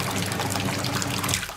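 Steady low hum under rushing, gurgling water, even with no surging or rattle; the pump is running smoothly on low speed.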